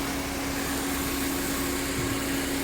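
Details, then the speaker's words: 8th-gen Honda Civic at idle: fan running with steady whir and low hum, but no clutch click or load; AC compressor not engaging, relay checked next and found clicking. "compressor is still not kicking on so let's go to the relay double check see if it's getting command"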